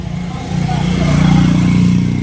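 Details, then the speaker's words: Spray pump machine motor after repair and reassembly with light greasing: steady low hum climbing to a higher pitch and holding smooth and even, no rattle or grind; the pump motor runs healthy. "तब आपको पता चल जाएगा। आवाज बदल गई है। क्या नहीं बदला है? इसलिए आप सुनिए। यह कितने का है? अच्छी आवाज़ कर रहा है।"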